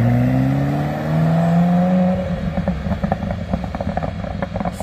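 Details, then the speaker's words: 1992 Ferrari F40, first drive after three months of major service and full inspection: clean climbing engine note through revs then crisp burbling idle; normal revving, sounds as it should. "pretty good that's what it's supposed to sound like"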